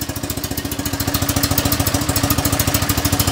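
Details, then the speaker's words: Flat twin idling steadily with an even chuffing beat, small extra mic fitted near the engine; choke being adjusted (owner thinks first too much, then not quite enough), otherwise healthy idle. "that sounds like a bit too much choke now that's probably not quite enough oh well"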